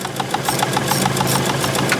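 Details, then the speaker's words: Ford ST170-engined Mk1 Escort at idle: light metallic ticking about seven a second, still present after first grinding the rocker cover nut, gone after shaving more; cam lobe striking rocker cover baffle. "now is the moment of truth let's see if she's going to make that noise like she did yesterday when I try and fire her up no I can still hear it"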